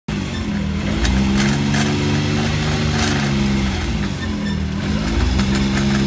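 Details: BMW X3 driveline: rough grinding under a droning road tone that rises and dips with speed; cause not yet pinned down.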